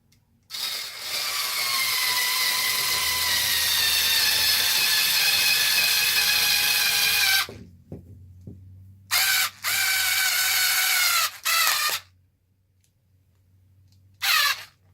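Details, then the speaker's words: Losi 5T RC truck: harsh, raspy, gritty whirring bursts as the drive spins. The gears are getting stripped. "yeah the gears are getting stripped out in this thing so yes it sounds like garbage I know I know it doesn't sound good"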